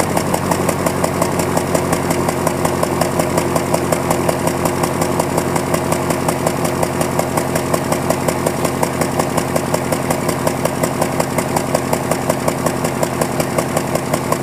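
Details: 2001 Prelude at cold morning idle, lurching with a stumble about every second. Codes show cylinder 2 and random misfire, the tailpipe is black, and it burns a quart of oil per 1,000 miles. Owner suspects worn piston rings.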